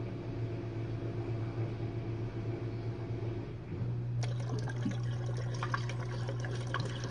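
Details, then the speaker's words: Jenn-Air dishwasher on Quick Wash with no heat dry, test run after recent low recirculation noises from suds. During the final drain the wash stops and the pump starts. A low, steady pump hum with water gurgling and swishing, no grinding or rattle. Normal drain. "And during the final drain, the dishwasher will stop and the pump will turn on."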